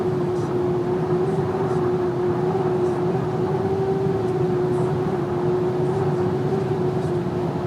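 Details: VW Amarok driving slightly above 120 km/h: a steady mid-pitched whistle over constant road and engine noise.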